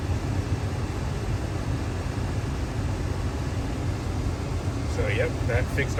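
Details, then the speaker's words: 2016 Ford Expedition after blend door actuator replacement for dash clicking: air on, steady blower and engine hum with no ticking or clicking from the dash; actuator working normally, problem likely fixed. "turn the air on and adjusted it so I can get the teeth all lined up but uh pretty sure we fixed our problem"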